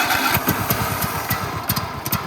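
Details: Free Toro Z5000 Timecutter zero-turn mower with Kohler Courage 21 engine, fuel reaching the throttle body, choke found working backwards: ragged bursts of firing, about five or six puffs a second, stumbling unevenly; catches briefly but won't keep running.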